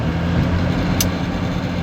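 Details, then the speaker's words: Donor car, old diesel, first minutes of driving after pickup: smooth, even diesel hum with a steady low note, no knocks or rattles; normal healthy running. "Я еду, машинка, первое впечатление тихоход, но это так прикольно, это так классно. Это вот этот звук старого дизеля, это волшебное ощущение, братва."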